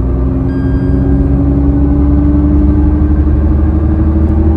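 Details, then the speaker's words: Tata Nexon driving, with a deep, droning hum over road rumble that rises in pitch and loudness with speed and grows louder on turns, like a helicopter or airplane; a worn front wheel bearing. "जैसे-जैसे speed में increase करूंगा ये आवाज भी increase होती जाएगी"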